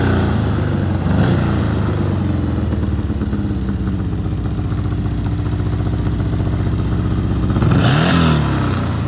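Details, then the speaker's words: 1970 VW Beetle-based rail buggy with a built 1835cc air-cooled engine, running pretty good: lumpy, steady idle with several quick throttle blips that rise and fall cleanly; normal idle and revving, engine healthy. "So got this thing running pretty good. I'll fire it up and show you."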